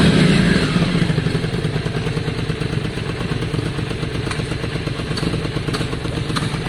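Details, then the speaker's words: V-twin after some carb work, not fully warm: lumpy idle near four beats a second with uneven spits and pops. Spitting lessens when warm but persists a little with raised idle; unconfirmed. "it's still not fully warm um um that spitting is interesting because that's something sultans does a lot as well it to be fair it doesn't do that when it really warms up"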